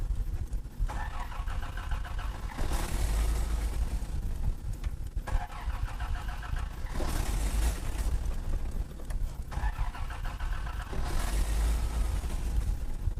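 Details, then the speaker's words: 1986 Toyota Land Cruiser FJ60, carbureted, after sitting, choke turned off; three several-second bursts of steady starter churning, never firing. Trash and water were found in the fuel; cranks but no start from water in fuel. "no no no no no no no no something is wrong with the toyota land cruiser something's wrong with it"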